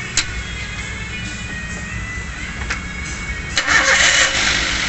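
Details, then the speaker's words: Avanza petrol engine after coil replacement idles evenly after starting, no misfire or stumble, exhaust now smooth instead of rough as before; music faintly behind. "Wes enak ya bosku, mesinnya udah anteng. Bunyi yang timbul di knalpot pun juga halus, jadi nggak seperti kemarin yang brut."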